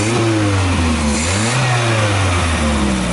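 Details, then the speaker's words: Carbureted car engine after carburetor refit and rough timing-light adjustment: clean idle picks up smoothly on a light throttle blip and settles back evenly, no misses or stumbles; healthy engine rev. "Mas de qualquer forma o motor já tá funcionando bem ala D um toquinho devagar no acelerador só para mostrar como ele ficou"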